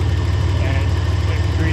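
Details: Ford Ranger engine after rebuild with new lifters and head, valve cover and exhaust gaskets, idling after timing set to about 12 degrees, before warm-up and coolant burping: steady low, even idle pulse, no misses, knocks or hunting; normal idle.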